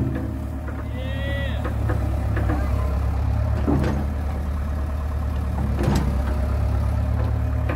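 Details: John Deere 490E excavator with Hitachi hydraulic pump, computer bypassed, pump put in limp mode; steady deep diesel drone without dipping or labouring under load, slower but no bogging.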